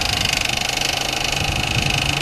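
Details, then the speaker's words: 2008 Ford Fusion, salvage title after front-end impact, fully warm at 700-some rpm base idle: rapid rattling flutter when the AC compressor engages and loads the engine, sounding like a thrown rod; thick-metal noise, source unconfirmed. "the AC compressor just kicked on and put that load on the engine it sounds bad"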